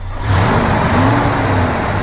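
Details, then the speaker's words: 1976 Ford F250 Supercab revved briefly in the engine bay: the engine climbs smoothly and holds clean, even revs with no knocks or ticks. It sounds healthy and powerful. "you know real powerful motor sounds good no no noise or anything I mean this is this is really a nice truck"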